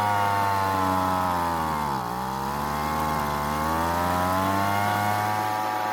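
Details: Weed Eater leaf blower that wouldn't start after long storage, two-stroke, during carburetor tuning: steady high buzz sags briefly then recovers; runs on partial choke, dies off choke, owner assumes it needs more fuel via L and H screws.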